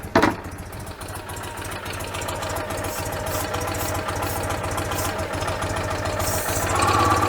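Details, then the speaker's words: 1986 Citroen 2CV, still fairly cool after service with new plugs, idles unevenly with a faint hiss; considerable air leak at the carburettor manifold gasket. "oh hello we've got considerable air leak somewhere going on where is that is that the base"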